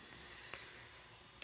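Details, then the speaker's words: IBM ThinkPad 755CX after a BIOS reflash, with the backup battery removed. A single short high beep at startup, then errors 1731 and 163, fixed by resetting the clock. POST error beep for clock not set. "it'll probably throw a blink code when you first turn it on it does the way you have to fix that because the battery's been removed is we have to reset it back here"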